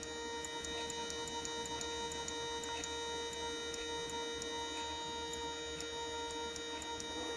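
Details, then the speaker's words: Bench-tested Mercedes E320 non-ASR throttle body with its throttle actuator controller, powered: crisp regular micro switch clicks over a steady faint hum of the unit; unit judged fine, normal micro switch clicking. "now this area is cooler because there's no electronics here on this side and this micro switch works fine I can hear it"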